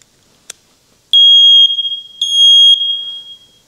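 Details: First Alert smoke detector after reseating a loose internal contact that wasn't making good contact: a click, then two loud, piercing, high-pitched beeps about a second each; the alarm sounds normally again after repair.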